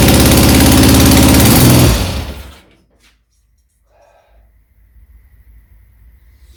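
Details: Rebuilt 1975 Triumph Trident T160 triple, first start, cold, choke being turned off: loosely fitted exhaust falls off, loud harsh open blare like a tractor before engine cuts; loose exhaust blowing.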